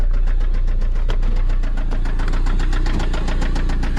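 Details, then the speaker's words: Toyota MR2 SW20 with 5S-FE engine, walkaround at idle on its final drive before a 3S-GTE swap: a sharp metallic knock about seven times a second, steady and loud over the idle; a worn connecting rod bearing, rod knock. "All right, let's do one more walk around. Check out that sweet rod knocking 5sfe."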